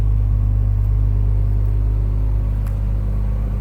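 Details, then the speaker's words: 1986 Toyota Supra Mk III, idling: deep, smooth exhaust rumble at an even idle, with no knocks, misses or rough pulses; runs and sounds nice. "You can hear how nice that runs, nice that sounds."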